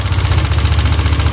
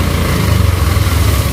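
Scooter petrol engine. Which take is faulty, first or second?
first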